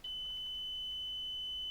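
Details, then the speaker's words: 1970 Polish Alfa II (A5w4) vacuum cleaner during motor replacement, testing the switch at the plug: one steady high beep almost two seconds in a quiet room; circuit closed, switch works. "Again, vacuum cleaner off. The switch definitely works."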